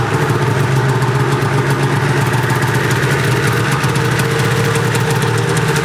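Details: Arctic Cat two-stroke snowmobile after a temporary throttle positioning switch fix (previously shut off when throttle squeezed), pull-started with choke: steady, even idle with a low, constant drone and no misses, knocks or surging; running smoothly.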